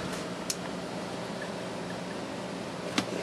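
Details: Two-lamp 20 W fluorescent fixture converted from rapid start to a preheat ballast: low steady mains hum with two sharp starter clicks a few seconds apart, then even hum; normal preheat start.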